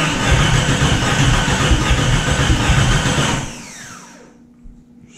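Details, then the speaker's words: Jeep Cherokee being cranked after distributor work, with starting spray; a spark plug wire and distributor cap left unplugged so not firing anywhere; rough cranking chug about 2.5 beats per second, briefly tries to catch then dies. Hard start. "you didn't put the spark plug back we didn't plug the distributor cap on either it's not firing anywhere"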